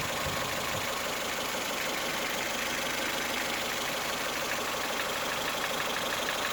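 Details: 2008 Ford Fiesta 1.4 petrol: distinct knock at idle, smoothing out as revs rise and returning as revs drop back to idle, heard as uneven tapping over hiss; cause unknown.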